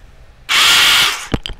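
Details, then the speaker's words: DM200 motorcycle with spark, fuel and compression but no start, microphone held near the engine: short hissing, grinding whirr on cranking as if a gear slips, engine never catches; damaged starter bendix drive slipping, left crankcase to be opened. "ya como ya vion es un ruido Como si se patinara algo"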